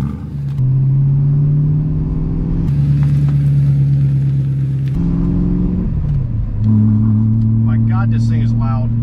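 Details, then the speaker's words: BMW E92 M3 V8, freshly rebuilt after sitting for years, not revved high; very loud blips and held revs with a heavy steady low boom lingering at each speed, exhaust drones terribly inside the cabin and needs fixing. "loud is an understatement now while the car sounded really good it simply droned terribly inside which is no bueno that's got to be fixed"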